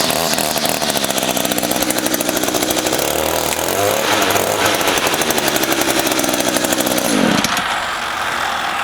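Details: Echo GT 225 two-stroke weed trimmer, unused for a few months, just started with the choke and primer bulb: a high, steady buzz with a brief throttle rev, then an even run; the engine sounds healthy.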